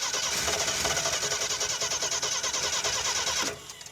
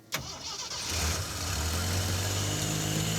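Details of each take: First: 1976 AMC Pacer with a Holley Sniper two-barrel EFI kit: starter cranks fast and steady, about three turns a second, without catching; no fuel delivery and no fuel pump heard running. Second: Lifted 1976 AMC Pacer 4x4 on 35-inch tires, with a loud fuel pump. Short crank, catches cleanly and idles down to a steady, even idle; normal start and idle.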